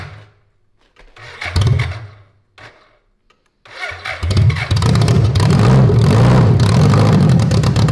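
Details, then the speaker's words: 1985 BMW K100 1000cc fuel-injected engine reassembled after 15 years in storage, fed brake clean/starting fluid with too little gas. It cranks, fires in short bursts and dies, running unevenly briefly. A bad fuel pump is possible but unconfirmed. "Yeah, well, we still gotta put some fuel in it. Yeah. Yeah. So we didn't have quite enough gas to I guess. Yeah. To hear it run constantly."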